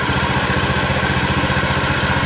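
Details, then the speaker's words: Honda Beat injection scooter after two months on cheap Revol Matic 10W40 oil, often carrying about a quintal load: fast, steady idle pulses with a harsh, clattery friction edge, rougher than with the usual oil; performance still fine. "kalau kita menggunakan oliell tidak sekasar ini meskipun tetap ada suara e [Musik] gesekannya"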